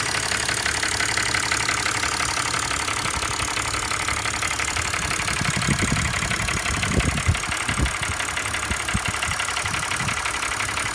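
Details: 2005 BMW 325i M56 petrol engine idling with a fast, uneven metallic rattle over a steady hiss.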